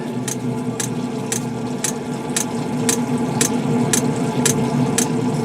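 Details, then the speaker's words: Older Espar preheater tested after install, bleeding air from fuel line: crisp, even fuel dosing pump ticks about twice a second over steady fan hum; normal metering, expected to light. "You hear that fuel pump just a clicking away? About guarantee she's gonna light."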